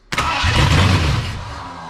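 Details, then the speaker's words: 1979 Ford F250 4x4, sitting since 1986, powertrain sitting since 2016, rigged start with no fuel tank hooked up: quick crank catches and fires hard about a second then fades; runs only on starting fluid, no fuel supply. "so it clearly wants to go obviously I'm doing a horrible job of"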